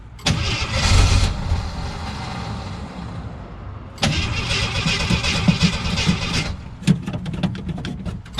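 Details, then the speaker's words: 1977 Jeep CJ7 Renegade, sat 9-10 years, cranking steadily in three spells without starting; siphon tube in jerrican feeding fuel popped out of the fuel so line sucked air; crank no start from fuel starvation. "so the jeep stolen out there not wanting to start wasn't the deeps fault it was the dummy who set up the jerrican when I moved it I didn't realize that the siphon tube I have gone inside moved and it actually popped up and out of the water so or out of the fuel"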